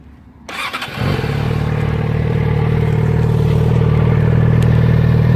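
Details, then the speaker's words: 2013 Yamaha XJ6N with the stock exhaust, 10,500 km from new, before the Leo Vince exhaust install: it catches after a brief crank and settles into a smooth, quiet, even idle. Normal idle. "Now I'm just going to give you a little listen of what it's like with a completely stock type. It's only done 10,500 Ks from brand new."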